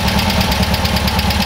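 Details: Freshly rebuilt air-cooled VW bus flat-four with dual carburetors: steady, even idle that sags as the mixture screw is turned slowly in until the engine starts to bog; screw then backed out a quarter to half turn before idle falls off.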